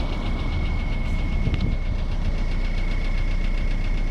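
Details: VW 1.9 TDI (ASV, 110 hp) diesel at idle: dull, uneven knocking two to three times a second, traced to the engine's bottom end; no definite cause or fix found.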